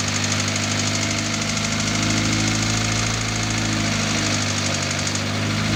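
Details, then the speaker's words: Newly rebuilt Audi A4 B5 1.8T turbo engine (GT2860RS) after its first 20-minute run-in. A steady, even drone with an unbroken note and no clatter, clunking or knocking; it sounds like a healthy engine. "Nüüd kuuleb ikka nagu mootori hääli, mitte igasugu klõbinaid, kolinaid, mölinaid."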